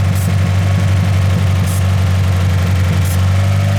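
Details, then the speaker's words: Car at steady fast idle with brake cleaner sprayed at the rear corner of the intake manifold: three short hissing sprays and an idle change only there, suggesting a leaking intake manifold gasket; the throttle body area is fine. "when I spray that you can hear that the the idle changes and that could only mean that some combustible is getting into the intake manifold and then the car is compensating for it"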